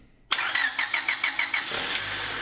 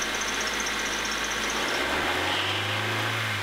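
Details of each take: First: 2000 Honda HR-V 1.6 VTEC (D16W) after replacing a screeching power steering belt with a new Gates 4PK845: starter spins, engine catches and runs evenly with no belt squeal; normal start and idle. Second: 2000 Honda HR-V 1.6 VTEC (D16W) petrol idling, bonnet open: a faint, high, chirping squeak repeating a few times a second from a worn power steering belt, screeching for some time before replacement.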